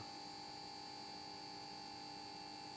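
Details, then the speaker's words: Mazda-Projelux EPA 125 F lamp with Philips HPL-N 125 mercury lamp, just switched on: quiet steady ballast hum with thin high whine, not too loud, normal for its age. "je sais pas si on doit entendre normalement le bruit que fait le ballast. Donc ça va, c'est pas trop bruyant. Et bon, c'est normal hein, pour son âge."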